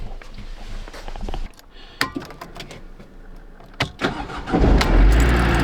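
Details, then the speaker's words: Van with a dead battery in cold weather, jump-started from a fully charged OSRAM Battery Starter 300 lithium power bank: a few clicks, brief crank, then the engine catches quickly and settles into a steady idle, a healthy start. "started no problem wow what a relief that is super happy the van started"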